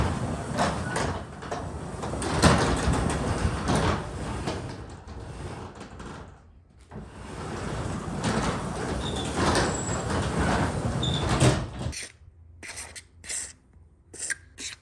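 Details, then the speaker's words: Garage door with a 2005 AC chain-driven opener, after replacing hard plastic rollers with closed-bearing nylon rollers but before greasing: continuous rattling rumble during travel, then clunks as it stops. It is somewhat quieter with less track noise, but still noisy. "you can tell it kind of got quieter you don't hear the track quite as much but it still is quite a bit noisy"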